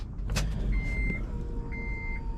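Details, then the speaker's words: Honda Element K-series turbo build with Walbro 450 fuel pump, no relay system yet, key on: chimes over low rumble and a brief faint pump hum as it primes; fuel pressure confirmed, car then idles at 1000 rpm. "but I do want to see if the fuel pump turns on we do not have the relay system on here now"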